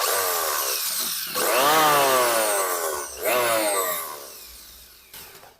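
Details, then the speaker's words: Richu electric planer, test run with the belt fitted: winds up to a high whirr with a coarse, heavy shaking rattle through each run; likely unbalanced cutter blades. "ini sangat sangat getar sekali kemungkinan dari ketidak seimbangan dari ee pisaunya"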